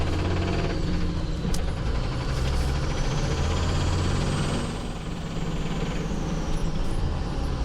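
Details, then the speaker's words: Dodge Ram 3500 with NV4500 manual transmission in fourth gear (direct drive, bypassing the countershaft): a steady low drone with no knock. The knock heard in first through third is therefore likely in the countershaft. "fourth gear is direct drive, which means it's not using the counterhaft, which means all the power is going through the main shaft."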